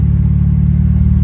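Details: 2003 Mitsubishi Lancer Evolution VIII after fixing a vacuum leak that caused idle surge and rough idle, repaired with hose clamps, idle around 900 rpm: low, steady rumble with no rise and fall in revs, smooth even idle.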